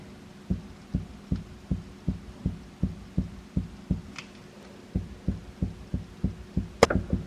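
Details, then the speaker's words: BMW M3, front body rocked by hand: dull, hollow knocks about 2.5 per second from the front strut top; owner suspects the strut top nut is loose and tightens it. "i found it and it might be an easy fix it's the strut so maybe it just needs nipping down"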